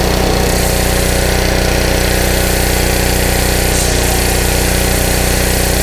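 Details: Honda 5 hp GC160 (model uncertain) pressure washer engine that had been surging with weak pressure, after new filter, spark plug and carburetor cleaning: even, rapid thumping at a constant rate with no rise and fall in speed; smooth, steady run.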